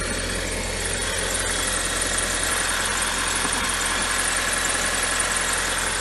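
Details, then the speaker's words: 2007 Audi A4 2.0 turbo at a smooth even idle with a light top-end tick, no stumble, started right away after water-damaged relays under the ECM were replaced to fix a no-crank no-start. "now here you go no problem at all the car start it right away"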